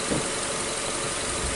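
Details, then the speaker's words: 2014 Nissan Sylphy after repair of a P0303 cylinder 3 misfire (loss of power, check light): steady, even idle with no stumble; misfire no longer felt, normal idle. "So we're not feeling the misfire like before."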